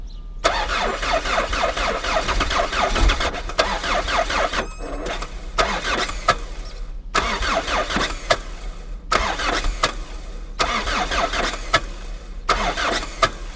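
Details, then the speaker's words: Old Chrysler Voyager diesel at -17°C (feels -27): repeated long cranking bursts with short pauses, never catching; hard cold start, owner suspects failed glow plugs, planning to use ether to help. "и вот надо как-то завести этот старинный дизель у которого свечи накала видимо залегли не все так просто в такой мороз завестись поэтому буду использовать эфир для легкого старта"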